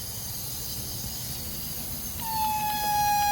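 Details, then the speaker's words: Turbocharged Honda SOHC on the dyno during a pressure leak test: quiet shop, then a steady whistle starts under pressure and holds; air escaping from a boost leak. "Of course, now we have a leak here. So if we have something else that wants to leak, well, your air is going to want to escape to the easiest route possible."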